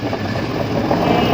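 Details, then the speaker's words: E-bike (easy-bike) hub motor tested unloaded during controller repair for a motor that won't take load and makes a knocking sound; steady whirring rush, no clear knock, spins freely with system IC light off; fault appears only under load. "মোটরটা কিন্তু ঘুরতেছে, system আইসি light off হয়েছে, আপনারা দেখতেছেন এই যে ঘুরতেছে।"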